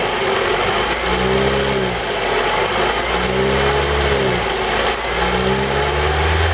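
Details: 2002 Toyota RAV4 engine knock: revs rise and fall three times with a rough, rattly knock riding on top; source unclear, owner suspects the VVT-i coupling (cam phaser).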